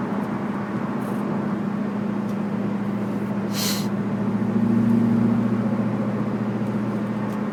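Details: Camaro while driving: a steady low hum under road noise that swells slightly with speed. Possibly a bad wheel bearing, unconfirmed.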